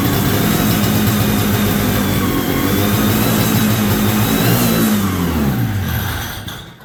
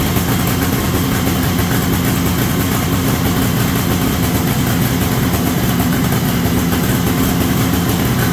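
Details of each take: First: 1973 Columbia snowmobile two-stroke, carb cleaned and rebuilt, new fuel lines, temporary tank: buzzes briefly, revs sag and it dies within seconds; fuel starvation because the crankcase-to-carb pulse line was left off. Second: 1973 Columbia snowmobile two-stroke, running indoors after the crankcase pulse line was reconnected to the rebuilt diaphragm carburetor. Loud, steady buzz holds even without stumbling or dying: normal idle, first run in about 15 years.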